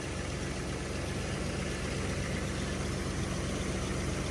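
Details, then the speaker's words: 1981 Chevrolet C10 V8 idling on its own without throttle after new spark plugs; steady, even low rumble with no knocks or misses, idle higher than before; one front plug was wet with oil; normal idle. "It sounds good. I'd almost say it sounds better than what it did before. The the idle is higher."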